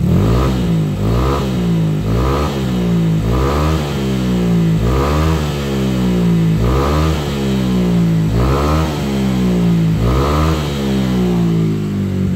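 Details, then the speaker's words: Honda Vario scooter with engine bored up to 59 mm spec, Juken fitted, after fix for detonation pinging: repeated quick throttle blips about once a second rising and falling cleanly with no pinging or rattle; now healthy. "Oke teman-teman kalau kita rasakan dipegang di blayer-blayer motornya udah enak sekarang tinggal kita coba jalan aja ya"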